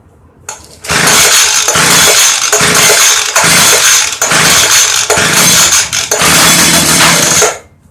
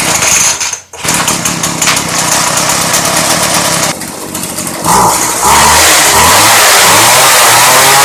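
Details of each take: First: Early-2000s Craftsman Bushwacker 25cc hedge trimmer, model 358.795792: fires on carb cleaner spray and buzzes high about seven seconds, surging, then dies; fuel starvation from broken fuel pickup line, crumbling air filter. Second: Craftsman 358.795792 Bushwacker 25cc hedge trimmer, cold start after replacing the broken fuel line and crumbling air filter, on 40:1 fuel: buzzes after a brief dip, then revs climb cleanly and hold high and even; runs properly.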